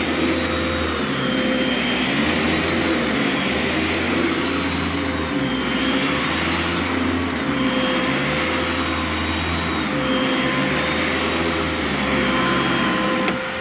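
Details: Brand-new Legacy-era high-filtration upright vacuum, briefly run with the brush stopped because it is upright (it has no brush roll shut-off switch): smooth, steady hum at a constant tone with no grinding or fluttering; healthy motor.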